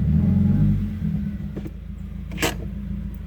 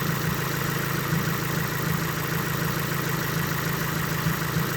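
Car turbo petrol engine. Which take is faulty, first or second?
first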